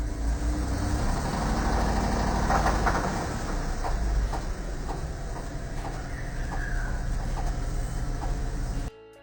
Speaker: Bad luck for this customer after they said their truck lost power when going up a hill. As you can hear, it's definitely a road knock and time for a new engine.